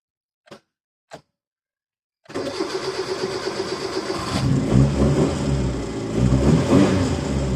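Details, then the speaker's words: Car with a new battery and new starter still cranks slowly and laboriously at about four turns a second, like a flat battery; a voltage drop is suspected, with a 12 V starter relay planned as the fix. "so yeah that is the issue we trying to solve new battery new starter still sounds like a flat B"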